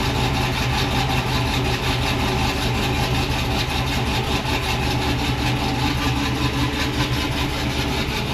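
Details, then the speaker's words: Tahoe V8 with choppy aftermarket cam, tuned with HP Tuners, warming up idling in the shop: uneven choppy lope about twice a second over steady exhaust rumble; sounds healthy despite sporadic stalling complaint. "sounds pretty healthy. Probably the dumbest idea ever is to put a choppy cam in a Tahoe, but what do you do?"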